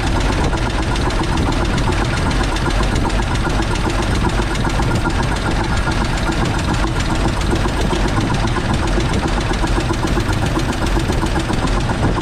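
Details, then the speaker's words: Dodge WC54 3/4-ton ambulance, inline six sitting 20+ years, new carburetor and cleaned points: lumpy idle with an irregular stumble and knocking; crew suspects it is not firing on all cylinders; something smoking. "I don't think we're hitting on all cylinders. No, you can tell when you throttle up if you're not."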